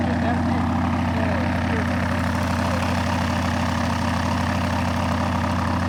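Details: Rotec R2800 radial engine on an Aerolab LoCamp prototype airplane, first start after long-term storage and reassembly, fuel pump on: deep, even drone holding steady speed with no misses or knocks; normal, healthy running.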